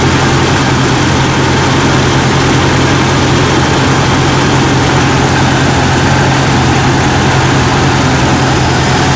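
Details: Jeep Cherokee XJ 4.0L that failed to start the night before, idling while the alternator output is checked, reading about 14 V, alternator good: steady, even low idle with a smooth hum and no misses, knocks or whine.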